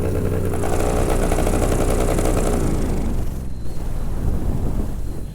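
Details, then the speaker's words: Paramotor with a custom stainless steel exhaust, in flight. It rumbles at 3/4 climbing power, then drops toward idle and the note turns hollow and uneven. After landing, the main weld where the exhaust leaves the header was found cracked. "So I backed off to idle and it sounded very hollow, like broken exhaust hollow. And I was like, that's not good. Shut it down, came in for a landing and found that right at the header is cracked."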